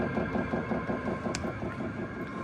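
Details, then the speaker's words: Chinese diesel heater after a fix for error code E10, running on level 10 and very hot: soft, even pulsing over a steady fan rush with no popping or sputtering. It burns cleanly. Normal running. "We have success, everyone. That makes me super happy."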